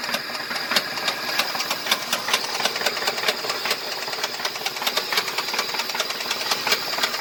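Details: 2005 Ford F-150 petrol V8 with 334,000 miles running with a sharp repeating knock, about two to three a second: bad motor knocking.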